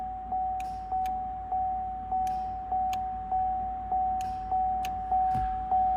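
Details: 2010 Chevrolet Camaro SS with SJM line lock kit, switch on, button pushed: sharp regular clicks roughly every 0.6 seconds over faint steady hum; line lock solenoid engaging normally.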